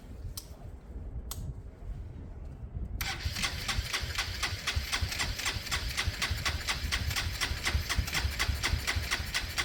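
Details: Motorcycle after a carburettor conversion with all computer systems disconnected and spark timing uncertain, choke not yet used: two brief clicks, then steady fast cranking, about two beats a second, that never fires. Cranks but won't start; cause unconfirmed.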